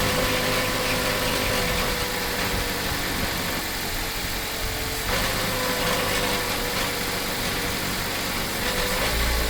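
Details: Mitsubishi Colt CZ3 1.3 petrol idling: fast, light metallic clicking from a loose heat shield plate behind the engine covering the exhaust pipe.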